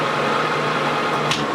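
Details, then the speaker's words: Rebuilt Harrison M300 13x40 metal lathe with reground surfaces, spindle turned down to about 540 rpm after running at 2500: even, steady hum with a light whine and no knocks or rattles; runs smoothly and quietly. "then crank it down to like 540. so it's relatively quiet"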